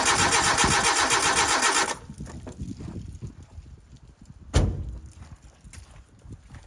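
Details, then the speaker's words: 1988 Suzuki Samurai parked since the late 1990s, cranked without starting fluid: steady fast cranking about two seconds that never catches; no-start, no fuel reaching the carburetor. "it just recalled on me, I didn't even pull that distributor off and or the wire to it and let it build oil pressure, but that's fine, it didn't fire. Let's see if we're getting fuel up here. Alright, getting no fuel."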